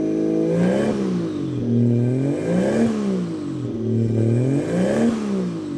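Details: Toyota Aristo turbo engine just after fitting new 4-inch downpipe, recirculated wastegate dump and turbo/wastegate heat blankets, valved exhaust; revs rise and fall in smooth even swells, no knock, rattle or exhaust leak tick; normal engine running.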